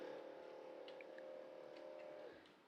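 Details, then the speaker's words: 1980s Sharp VZ2000 boombox turntable, dusty and long unused, tested before service: steady mid-pitched motor hum for about two seconds that then fades; the motor runs but the platter isn't driven; cause suspected, not confirmed. "Okay. Alright, okay, I'm not going to force the issue. I could hear the motor go in there,"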